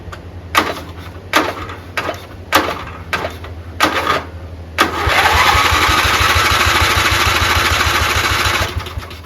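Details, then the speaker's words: 11 hp Briggs & Stratton flathead in riding hauler cranked on a 12 V 20 A LiFePO4 backup battery with magneto disconnected; six slow heaves stall on compression, then faster turnover without firing; battery lacks cranking amps, jumper pack used next. "I disconnected the Magneto so the battery is like for a computer battery backup so it has no cranking power but it does get going once this starts but it doesn't have enough power to get it past the compression scoll that's wrong"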